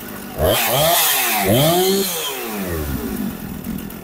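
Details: Husqvarna 455 Rancher chainsaw, sat unused for a couple of years and would not start, now running after repair: two-stroke revs up cleanly, drops back and holds steady idle without stalling; runs properly.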